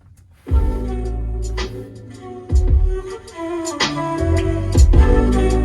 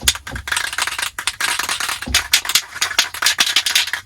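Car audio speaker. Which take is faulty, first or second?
second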